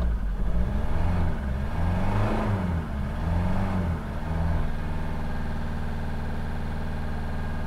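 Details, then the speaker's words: Land Rover Defender 110 with replacement Ford 2.2 TDCi diesel at 12,000 miles, running rough and smoking: it gallops on three cylinders, smoothing at higher revs, with diesel coming out of the exhaust; presumed cylinder misfire. "it sounds like it's missing a cylinder and if you go down here yeah that's diesel coming out of the exhaust so it's died"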